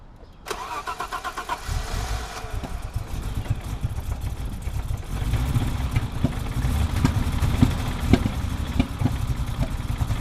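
A petrol engine cranks briefly, catches, then idles roughly, with irregular sharp pops and stumbles of a misfire.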